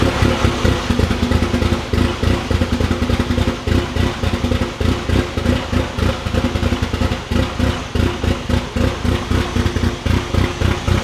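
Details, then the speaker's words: Freshly installed fully built 4G63T turbo engine in mid-engine Eclipse, first start: uneven stumbling lopey idle with irregular chuffing like a big-cam K-series, running rich; fuel pressure and tune adjustments didn't fix it, cause unclear. "we couldn't get the 4g to not sound like a super big camped k series which although it sounds cool was a bad thing"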